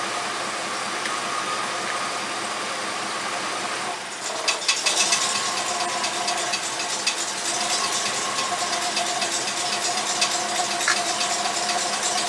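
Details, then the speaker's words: 1989 Chevy K5 Blazer, GM TBI engine nearly warmed up, ECM advance lead disconnected so no computer advance (had about 20 degrees): idle turns louder and uneven with ragged clatter, barely running; badly retarded ignition timing. "Alright, so now you saw I disconnected that lead, and you see how loud the engine's running right now. That's because it's even less. It was giving it 20 degrees advance from the computer, so now it's even less. It's barely running."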